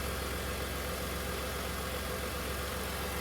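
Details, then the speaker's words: 2008 Dodge Nitro after the alarm start block was cleared by disconnecting the negative cable with ignition on, after a water pump job. Steady, even idle with a smooth low rumble and no knocks, misses or squeals; now running well. "está trabajando bien Eso quiere decir que ya todo quedó bien"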